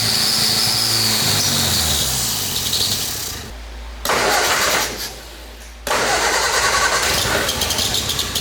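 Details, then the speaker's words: 1953 Ford Anglia engine in a 1970s hot rod canoe, first run after 47 years; it catches and revs roughly, then dies twice before restarting, won't hold idle; owner suspects crud plugging the exhaust. "sounds good to me all right we can't get it to idle and i think it's a bunch of crud coming out of the exhaust"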